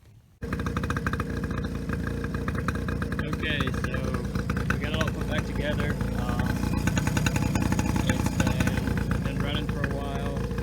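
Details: 2001 Polaris Scrambler 50 that stalled and bogged after a few minutes, after carburetor cleaning (fuel-line piece used in place of an O-ring): small single-cylinder buzzing at steady idle with quick popping beat, no stalling; normal running.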